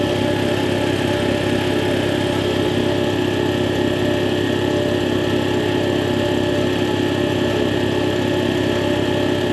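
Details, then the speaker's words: Air compressor test run after replacing the faulty check valve that was leaking out the unloader: a constant, even chug at about two beats a second with no hiss or stutter. Normal running. "you'll find that you have no more air leaks coming out of your unloader so that noise you thought may have been coming out of your switch was in fact your check valve"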